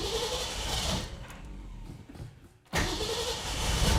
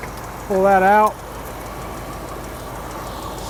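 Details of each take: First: Ford 260 V8 classic in neutral, new Autolite 45 copper plugs: catches and runs unevenly, dips out then stumbles on; likely idle-circuit carburettor problem, accelerator pump, fuel and electronic ignition confirmed working; blocked main air bleed. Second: Classic car with mild cam, stone cold, after carburetor cleaning: steady, even low idle with no misses or stumbles, a smooth burble; healthy idle.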